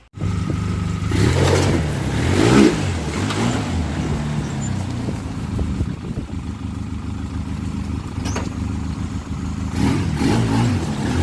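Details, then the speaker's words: 2004 Polaris Sportsman 700 on its test ride after a new rear brake caliper, bearings and bushings: it pulls cleanly with a steady thump that follows the throttle and goes into every gear, though a little hard to shift. Normal running under load. "Alright, so as you can see, it seemed good, seems strong, motor sounds good, goes in every gear."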